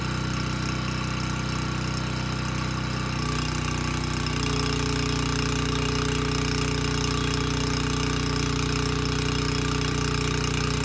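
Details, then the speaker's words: Abandoned Powermate generator on its carburetor, started first pull: buzzing drone steps up and settles within seconds, then holds even; smoke cleared immediately, about 62 Hz with voltage too high; runs normally, governed speed slightly high. "okay not too bad it started first pull and the carburetor is doing a good job running this engine so i'm not concerned about that and the smoking not an issue that smoke dissipated immediately so no issues with the engine the engine speed itself was pretty good it was about 62 hertz"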